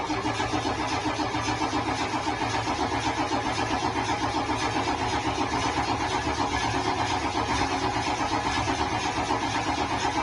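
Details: Ford F-250 diesel with starting problems: labored cranking with uneven chugs about four times a second before it catches and stumbles; glow plugs suspected, not confirmed; hard starting.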